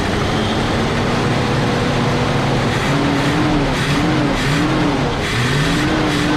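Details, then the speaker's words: Big-block Chevy V8 in a motorhome, after taking it apart to get fuel pumping: steady, even rumble with no misses or knocks; running cleanly now that fuel is getting through. "Oh, that sounds better. There we go. Oh, that sounds way better. Oh yeah. Ooh, I think it might run."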